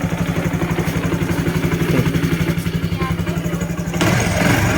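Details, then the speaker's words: Honda Wave 110i after a rebuild with the cylinder bored and new piston rings, fixing hard starting and no compression: quick, even single-cylinder idle with no misses or knocks, compression now good, running normally. "ก็เบาได้รอบเดินปกตินะครับผมไม่มีปัญหาครับผม"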